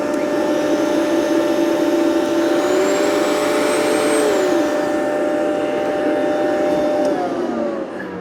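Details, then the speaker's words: Rainbow PN12 power nozzle (donated) on carpet: steady vacuum roar with a whirring tone that sags noticeably under load; brush roll bogs to maybe half speed or less, owner suspects a loose belt, cause not yet found. "So any load at all and it just really slows down. Maybe like half speed, maybe even less."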